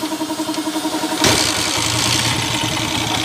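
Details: Honda TMX155 single-cylinder motorcycle, noisy ever since a timing gear replacement, crankcase half cracked. It catches and idles loud and rattly, with a hard metallic knock under the exhaust beat; worn connecting rod.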